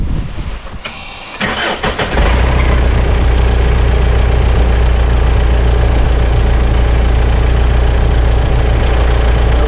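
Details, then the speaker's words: Mitsubishi Shogun/Pajero after alternator belt fix; short crank then firm, even idle under full electrical load (lights, trailer, cameras, heated windscreen, blower) with no squeal or chirp; belt not overtightened: normal idle. "heated windscreen blower the whole plant was going there and earthquakes and doesn't sound like the belt's too tight either so yep"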